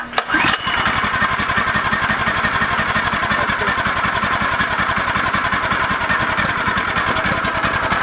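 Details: Brand-new Predator 212 with Hemi head at its first start after a half-quart oil fill, fitted to a 1960s go kart. It catches after one pull and settles into a quick, even single-cylinder putter. Normal idle.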